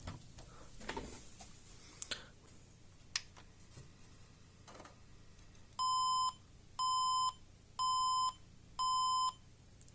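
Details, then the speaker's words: HP Compaq desktop at power-on: four steady mid-pitched beeps, then a 2-second pause, with a red LED. The POST code means insufficient power supply; the 90 W (4.7 A) unit needs replacing with at least 135 W. "so 1, 2, 3, 4 beeps, then 2 seconds pause. So the problem is insufficient power supply."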